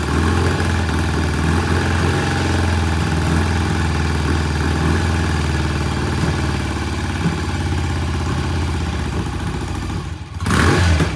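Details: 1968 BSA twin on kick start, cold: uneven, lumpy idle that won't settle, sounding like one lazy cylinder; possible misfire, cause not confirmed, fuel flow and warm-up being checked.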